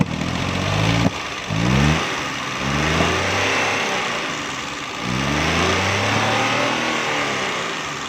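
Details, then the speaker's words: Suzuki Mehran 796 cc car running on gas: revs climb and sag unevenly with sharp backfire pops and stumbling; ignition coil found supplying too little current, causing the backfire. "दोस्तों, ये गैस पर गाड़ी बैक लगा रही है।"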